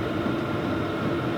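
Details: New Vevor diesel heater on setting 6, about 400 degrees at the outlet tube: steady even roar from fan and burner, no surging, popping or ticking; running normally at full output.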